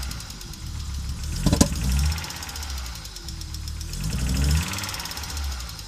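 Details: Audi Coupe after an NG-to-AAR engine swap: hard starting, many misfires, and it stalls while driving. Low, lumpy idle that stumbles and dips at irregular moments. Misfiring engine; cause not yet pinned down.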